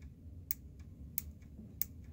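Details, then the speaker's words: 1960s eight-transistor Sanyo radio (believed model 8C-028S), opened for re-capping with a dirty early PCB; the power switch gives three crisp on-clicks but only faint ticks when switched off; power switch not clicking off. "yeah listen to that on off off doesn't have the click"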